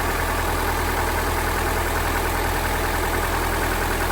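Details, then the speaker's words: 1986 Dodge Daytona Turbo Z Shelby after working on an idle that was previously too high: steady, low, even idle with no misses or knocks. A loose plug on cylinder two was found; runs solid. "idle's really low but it's not super high like it was well that's pretty darn smooth right there"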